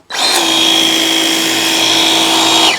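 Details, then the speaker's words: DeWalt 20V MAX 550 PSI cordless pressure washer drawing from a bucket, high setting with the high-pressure nozzle: constant high motor whine over a strong, even spray hiss, car-wash-like; normal running. "you can hear it this almost sounds more like a when you're like a car wash the way that that sounds now"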